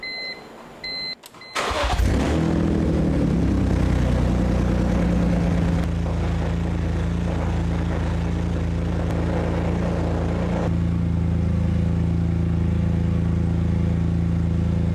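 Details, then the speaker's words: BMW E46 M3 parts car revived after sitting, running on old gas after fixing a loose fuel hose clamp: short crank, then catches cleanly and settles into a steady even idle with no misses or knocks; normal start and idle. "it runs even on that old gas wow honestly i'm speechless"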